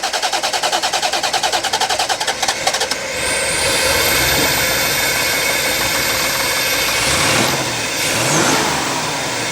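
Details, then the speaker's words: Barn-find Corvette C4 ZR-1 after new alternator and belt, 12 V before start, 14.5 V charging after: about three seconds of even cranking, then catches cleanly, blips up and runs smoothly on all cylinders. "that's way smoother that is way smoother 14.5 volts on there and it's and it's actually firing in all cylinders you can tell"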